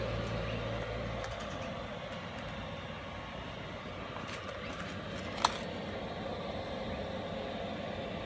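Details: Cheap eBay 12V 5kW diesel air heater on a bench test, in shutdown after running: steady, even fan rush with no combustion roar, just the blower purging; normal shutdown cycle.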